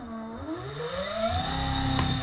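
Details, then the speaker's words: DIY ebike with a common cheap controller (ESC), battery connected and the two green self-learning wires joined: at power-on the controller self-learns hall sensor/phase wire matching, and the hub motor spins up with a smooth, steadily rising whine, no stutter or cogging; normal running. "It self-learned how to turn the motors."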